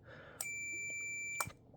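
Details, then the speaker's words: Arduino-controlled master clock wind regulation relay, triggered by grounding the input: relay clicks in, continuity-tester beep holds about one second, then clicks out cleanly; timed closure working as intended. "right now I'm touching this to ground and you can hear the clicking of the relay as well as the beep so you know it is making contact"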